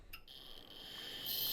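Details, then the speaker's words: Quantum ProDrive ELS 170MB IDE hard drive, opened, after freeing the actuator arm and parking brake: thin high whine of spinning platters with light head-seek ticks; normal start-up initialization, before things went wrong. "so platters are spinning the head is moving a little bit it's doing its initialization which is good"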